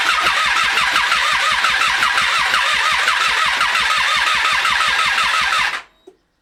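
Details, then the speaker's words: 2012 Triumph Street Triple 675R, connectors refitted and fuel pump connected, no coolant: steady starter cranking about six seconds, never fires. Cranks but won't start. "Now although we could get the bike to turn over, we could not get it to fire. It was sounding a little bit as if the timing was off."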